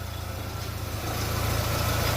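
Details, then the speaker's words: Fiat Doblo 1.8 at idle after the repair of a noisy water pump: the earlier ticking from the front of the engine is gone, leaving a smooth, steady, healthy idle. "acabou o barulhinho o cheque cheque cheque acabou o barulhinho"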